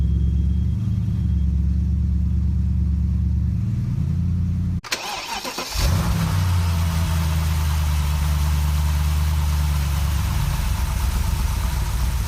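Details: 2006 BMW E63 650i with N62 V8 at idle: low rumble swells and sags unevenly as rpm hunts up and down instead of holding steady; idle speed fluctuation.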